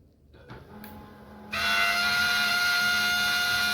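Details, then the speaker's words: HP LaserJet 1020 laser printer, with the scanner motor connection reseated and pressed firm: on spin-up a steady high-pitched whine still starts and holds. The laser scanner motor is failing, and the scanner unit (or motor) must be replaced. "देखो यहां पर sound आ रहा है। ठीक है? तो यहां पर मेरे को स्कैनर चेंज करना पड़ेगा।"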